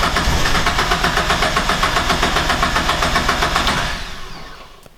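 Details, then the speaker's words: Car cranking steadily but not starting, and the cranking slows and dies away. No RPM signal appears while cranking, though coolant temp and throttle position sensors read fine. The cam sensor is suspected because its reading is intermittent and oily; not confirmed. "So interestingly, I'm not getting any RPM signal at all, which I would think that you would get one just cranking it over, I would imagine."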